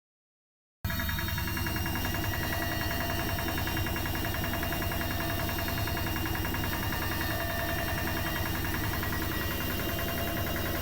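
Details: Bosch Maxx washing machine making a strange noise from the motor: a loud, rough drone with a steady pulsing beat of about three to four a second.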